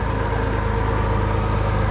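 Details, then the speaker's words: Diesel Nissan Patrol coil cab on its first drive after an engine-bay reassembly: light, quick ticking that keeps pace with the turning driveline; unclear whether it happens only in gear. "hear that noise? What? That noise. Tick, tick, tick."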